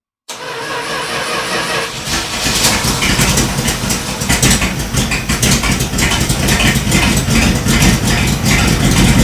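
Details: 1978 Dodge Power Wagon after an oil change, weak battery, started with a jump box: brief crank, catches and settles into a steady, even idle with a few throttle blips; starts and runs normally.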